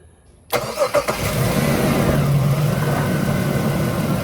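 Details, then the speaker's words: 2004 Jeep Liberty with a no-crank fault; after a new ground wire with key on, short crank, then it catches and settles into a steady, even idle; PCM wire to be traced or replaced. "there it is release it done deal just running"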